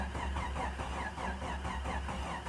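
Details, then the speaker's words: 1993 Jeep Cherokee 4.0 high output, sat 15 years, cranked on a weak jump pack after adding fuel: starter drags slowly, about four labored compression beats a second, no catch; jump pack is nearly dead. "come on baby oh man that's slow my jump Pack's dead from trying to crank the other truck"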